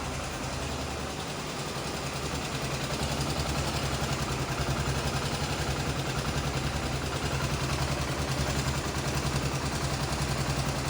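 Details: Honda CBX 250 Twister on lift after repair of engine noise, about 20-25 minutes' work: even, steady idle thump, no ticking or rattle; noise gone, only normal engine sound.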